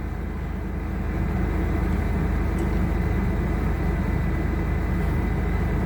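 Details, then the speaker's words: 2001 Chevy Blazer just revived from crank-no-start, no engine lights after battery reset; steady low idle with slightly uneven pulse about three beats a second, runs a little rough or hard but not missing, cause not evident. "feel like you're running a trip a little bit rough but it's not missing if that makes any sense it's like he's running hard but it's not missing"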